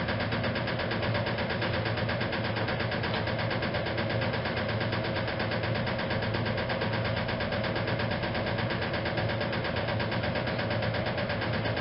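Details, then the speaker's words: 1956 Whirlpool Imperial automatic washer in spin: steady drone with a light, regular knock about 1.5 times a second from the rear motor access plate never refitted properly; not affecting operation. "about that knocking the sound that you hear that is actually the rear plate of the machine that says I never managed to get the motor access plate fitted back on properly from this machine"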